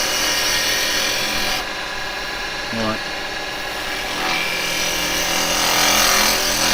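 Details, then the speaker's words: Woodturning a bottom with a push cut: a rough scrape with a rhythmic bounce of about four per second as the gouge chatters over an uneven, hollow surface. "Now, you'll hear the bouncing there. That's because we got that following there."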